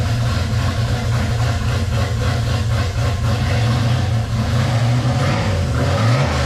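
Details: 1978 right-hand-drive Postal Jeep, freshly swapped V8 with new ACES EFI, just fired up: deep even burble with clean rev blips, no misses or knocks; runs healthy.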